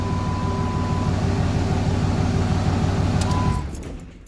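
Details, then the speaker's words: GM truck idling after an oil pan gasket job and a new, tightened motor mount, checked for knocking and oil pressure. Even, steady idle with no knocks or ticks before shut-off. Normal idle. "Let's just fire it up real quick. Make sure we don't have any knocking noises."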